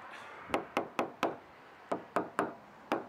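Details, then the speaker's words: Boat hull tap test during Wren moisture check: nine sharp crisp taps in small groups, no dull hollow thud, laminate solid; one spot sounds a little different, something behind it possibly set off the moisture meter, not delaminated. "That sounds a little different there. It's not delaminated, but I'll have to see what's behind it."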